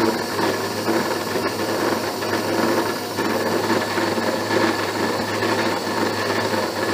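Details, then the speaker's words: Abene mill cutting broach bushing slot: harsh, uneven rattling chatter over steady motor hum; owner suspects the cutter is not sharp; milling cutter chatter. "well slower way down but i'm still getting some chatter i said this cutter may not be as sharp as i thought it was"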